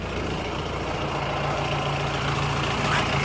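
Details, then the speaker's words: 2014 Mahindra Bolero, about 184,000 km, engine idling at standstill while the steering is turned: dry, gritty creaking grind from the front suspension, mostly from the left lower arm, as grease inside is lost; metal-to-metal contact in a worn lower ball joint. "Lower ആമിൻ്റെ സൈഡിൽ നിന്നാണ് കൂടുതലും ആ sound നമുക്ക് കിട്ടുന്നത്."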